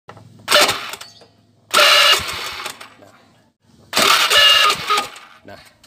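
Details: Starter motor on a Honda Beat/Vario/Supra-type scooter: three short cranking bursts, each with a high "ngek" squeak over the starter whirr. The cause is dry starter armature bushings, which need cleaning and greasing.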